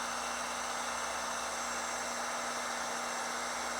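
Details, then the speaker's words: Used car with a boxer engine at a dealership inspection, idling: steady even hum and hiss, no knocks or misfires; normal healthy boxer sound. "So, that sounds pretty pretty healthy. that boxer engine um usually has that sound, so that sounds normal to me."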